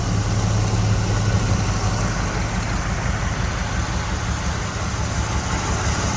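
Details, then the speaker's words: 1979 Chevrolet Camaro Z28 survivor, original paint, under 12,000 original miles, morning startup: deep smooth steady V8 idle with no knocks or misses, only faint belt noise from AC compressor; no smoke, healthy normal idle. "thought we'd take a moment and just let you listen to the engine nice and quiet get a little bit of belt noise here uh over off the compressor as i zoom in you can hear that but no engine noise at startup motor's nice and quiet"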